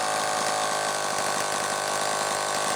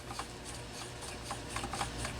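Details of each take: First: Homelite XL-12 chainsaw, final test run: high, steady two-stroke buzz holding an even speed without stumbling or cutting out; running properly. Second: Homelite XL-12 chainsaw turned slowly by hand: a dry scraping rub with faint ticks each revolution. The flywheel drags on the ignition coil, partly because a screw head is cocked, letting the magnets flex the plate.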